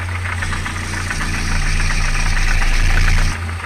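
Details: ZMZ 405 fuel-injected petrol engine, slightly warmed up, idling: quick diesel-like clatter about four knocks a second; owner suspects the timing chain or a failed hydraulic lifter, before hydraulic tensioner and chain inspection.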